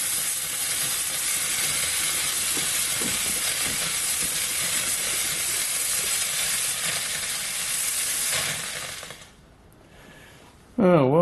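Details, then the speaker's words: Steam cleaner (wand, plastic hose and inline tap) fitted to homemade connector hose: steady loud hiss of steam for several seconds, then it cuts off; steam leaking at the hose connection, hose needs clips. "that didn't work I have to put some clips on the on the hose"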